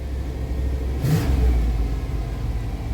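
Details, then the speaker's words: Car just restarted after replacing the idle air control valve, check engine light now off: steady low idle, one quick smooth rev and a clean settle with no hunting or stumble; runs far better than before the repair. "wow that sounds way better than before all right my goodness one little piece can cause your your engine to act really funny and not run right"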